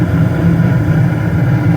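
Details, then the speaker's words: Bryant/Payne gas furnace with no heat (error code 24, blown fuse, stuck inducer), after fuse and inducer motor replacement, igniter lit: steady low rumble and hum, no squeal, rattle or cycling; furnace fired up, running normally. "Back to business. Okay, I'll let it run, observe how everything's going"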